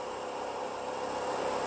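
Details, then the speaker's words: RC plane electric motor at 1/4 (20%) throttle with a flat T-shaped three-blade propeller and counterweight, statically balanced beforehand: steady motor whine with a grainy, buzzing rattle from vibration. "Actually, I'm kind of here at 1/4 throttle or 20% throttle, and I can kind of hear that kind of undesirable vibration there."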